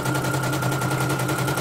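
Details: Serviced embroidery machine, previously jamming with skipping bobbin-case hook; test-stitching lettering: rapid even needle chatter, constant motor tone, no snags or jams; running smoothly. Renewed jamming would mean worn dynamo shaft, needing dynamo replacement or rebushing.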